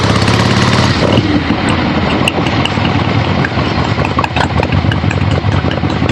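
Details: Finished 1975 Harley-Davidson XLH Ironhead Sportster after rebuild, basically stock, real road test ride with gas tank fitted, camera clipped to rider: V-twin pulls cleanly on the road, no knocks, misses or rattles above wind noise; runs great.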